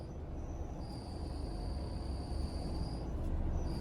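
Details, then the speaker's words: Honda City with clutch trouble: a thin, high chirping 'kee kee' squeal over the engine rumble when the clutch pedal is pressed, from an ungreased, burning release bearing. Smoke and a burnt smell come from the gearbox, and the clutch pedal is hard. "ഒരു ചീവി കരയുന്ന sound പോലെ key key key എന്ന് പറഞ്ഞിട്ടൊരു സൗണ്ടാണ് വന്നുകൊണ്ടിരിക്കുന്നത്. എന്നുവെച്ചാൽ നമ്മൾ ആ ബെയറിംഗ് കയറി മറ്റേ പ്രഷർ പ്ലേറ്റിൽ മുട്ടുന്ന സമയത്താണ് ആ സൗണ്ട് വരുന്നത്."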